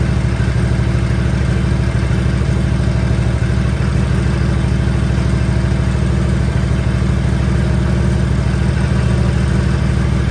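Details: 1957 Harley-Davidson Panhead, first start after top-end rebuild (guides checked, valves lapped, 20-over pistons, new gaskets), choke on, started first kick: deep, loping potato-potato beat about three firings a second, steady and even; healthy idle.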